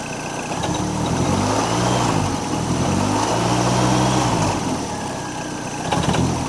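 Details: Long-stored Ford Model A hot rod, very tired engine with loose motor mount, loose flopping belt/alternator, about 20 oil pressure: engine revs up and drops back with a loose rattle as the throttle closes; cause not pinned down.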